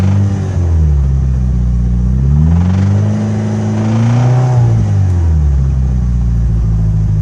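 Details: Mitsubishi Evo 8 petrol engine revving up and down with a deep knock under the exhaust note: rod knock from a spun bearing on cylinder #3, with lots of metal shavings found in the oil filter.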